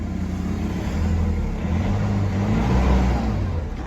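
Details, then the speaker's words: Nissan Navara NP300 diesel after repair for lack of power: short throttle blips, deep rumble rising and falling smoothly with no stumble; power feels strong as before, rpm normal, fuel rail pressure reading somewhat high. "ครับแรงแรงเหมือนเดิมครับ"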